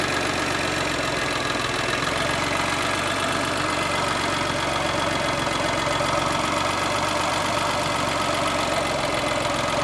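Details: Geo with an uneven idle and irregular knocking thump under a steady drone: it bogs and dies when lifting off the gas after a blip. Motor mounts are suspected bad; cause not confirmed.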